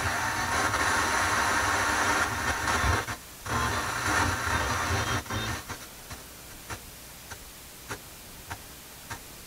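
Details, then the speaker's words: JVC JT-V71 FM tuner on FM with full signal bars: steady hiss cuts out abruptly as the tuner keeps muting itself, flaky reception; a dirty tuning capacitor is suspected, unconfirmed. "it's having some troubles with the muting sounds like it's muting itself"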